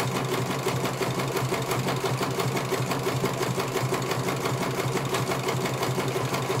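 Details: CNY computer embroidery machine in for service; at first its motor (dinamo) would not turn at all and the bobbin case was missing. Quick, steady needle clatter about three beats a second over an even hum as it finishes one colour; normal stitching, judged very good.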